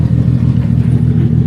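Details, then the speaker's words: Infiniti G35 sedan engine that ran a turbo kit, idling: deep, uneven, lumpy beat instead of a smooth hum; down a cylinder, a dead-cylinder misfire, so the engine is being swapped for a stock one. "you can see, we down a cylinder. So we're gonna have to put it back all motor."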